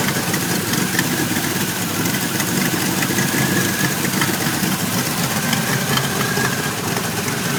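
Idle sounds lumpy and uneven, with the beat wandering instead of settling into a steady rhythm; rough idle, cause not yet found.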